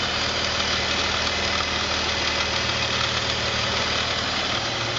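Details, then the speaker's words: BMW 330Ci E46 idling steadily under a loud, constant airy hiss; spraying intake cleaner around the air-intake boot to the throttle body changes the idle, confirming a vacuum leak. "vacuum leak. As soon as we do spray this on, idle changes. So looks like we have a vacuum leak."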